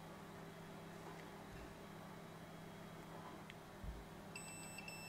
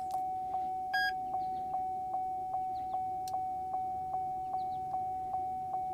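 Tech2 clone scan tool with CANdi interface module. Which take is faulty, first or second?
second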